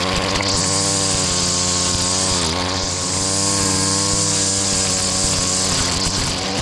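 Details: Stihl FS70R two-stroke string trimmer after repair (bogging and no power traced to a fuel mix with far too much oil, clogged spark arrestor and gummed carburetor): steady high drone, pitch sags briefly under cutting load and recovers; normal running under load.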